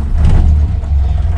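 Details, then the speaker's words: 1967 Morris Minor, started without choke and idling: deep, slow, slightly uneven rumble; owner suspects he has set the idle speed a bit too low, not confirmed. "You can hear the idle is possibly I've put it a bit too low."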